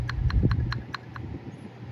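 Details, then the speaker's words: Triumph TR6 J-type overdrive solenoid being shaken during a rebuild: about five quick, light clicks a second as the plunger rattles loosely inside, so it is free and not stuck. "this thing should kind of rattle a little bit as I recall should be should be loose inside"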